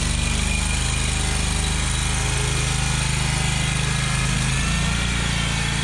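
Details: Exmark Lazer Z zero-turn mower, Kohler Command Pro CH740 V-twin, after gasket replacement for an oil leak: steady, even chug at a fast idle, no misses, knocks or rattles; runs smoothly, normal running.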